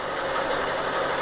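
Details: Honda CG Start 160 motorcycle: light quick ticking over a smooth idle, which the dealership said is normal fuel injection noise, shared with other 160s, with nothing wrong inside the engine.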